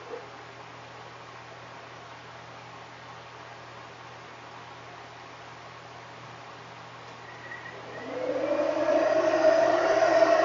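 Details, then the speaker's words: 1970 Ford Mustang Mach 1 351 after a 3G alternator upgrade, at operating temperature and running rich with loud Flowmaster exhausts: steady rising whir as the electric cooling fans switch on; fans running normally. "and actually you can already hear fans are kicked on because the car's already up too"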